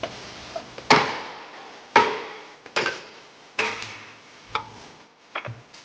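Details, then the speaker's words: Car creaking at about 10 km/h, both ball joint boots torn, grease leaked out and grit got in: dry, sharp creaking clunks about once a second as the joint is rocked; worn ball joint. "我就开了10几码，就叽哇叽哇响。这个声啊，8成是球头在响。"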